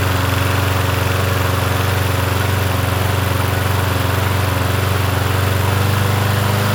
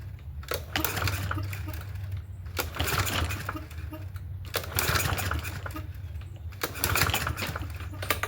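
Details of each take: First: Yard Machines 21-inch push mower, 163cc engine, in cool 50s weather: steady, even single-cylinder drone with a firm regular beat and no surging or misses; running healthy. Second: Free Yard Machines 21-inch push mower, 163cc engine, as found, cool 50s weather: repeated recoil pulls, each a brief spin with a few compression chuffs, never catches; seems to have some compression, owner suspects a dirty carburetor.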